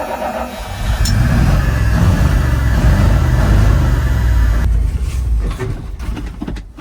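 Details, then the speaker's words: 1980 Dodge Power Wagon W300 1-ton 4x4 truck, engine unknown, sat for years and then a week idle, new battery fitted: deep V8 rumble runs steadily a few seconds then falters and dies; out of fuel, owner suspects heavy consumption or a leak. "I don't know if we're running out of fuel. Yep. We are out of fuel."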